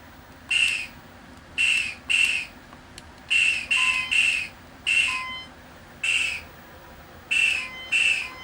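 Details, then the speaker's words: 1980 Midway Space Invaders Deluxe PCB after replacing all sockets and amps: high, shrill, whistle-like chirps about once a second where the invader hit sound should be. The invader hit sound is still incorrect, though the previously missing saucer hit sound now works. "And I tested, you can hear the sound. The invader hit sound is not correct."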